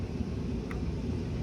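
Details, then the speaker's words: Residential HVAC indoor blower (evaporator fan) turned on at the thermostat during basic troubleshooting: steady low even whoosh and rumble, no rattles, scraping or wobble; fan confirmed working, normal. "okay so let's say our fan turned on great so now we know our fan works"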